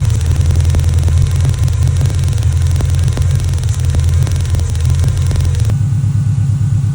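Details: Subaru Impreza GF wagon: rough lumpy idle with sharp snapping ticks about three times a second from an arcing ignition coil causing a misfire; coil replaced.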